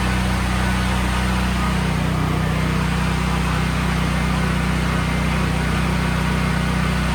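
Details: Brand-new Briggs and Stratton generator with 3.9 hours, previously surging badly and restarted on choke after carburetor and fuel cutoff solenoid work: steady even hum, constant low drone with no hunting or surging, holding speed smoothly.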